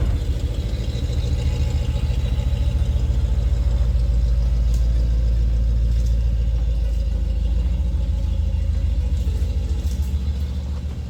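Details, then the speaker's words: 3UZ-FE V8-swapped Mercedes C-class cold-started for the first time in 4 months (battery 11.5 V at ignition on): even, deep idle pulsing steadily at about 200 beats a minute, no misses or knocks; starts without issues, a normal clean cold idle. "I'm going to put you guys outside for a cold start a really cold start like a month ago cold start"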